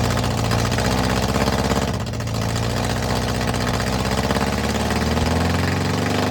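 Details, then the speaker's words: Air-cooled engine of a VW Bus neglected 30 years, on first run after cleaning and service, exhaust removed: harsh, raw, steady idle with a loud, open, unmuffled bark. "Yes, man. That is loud without an exhaust on it."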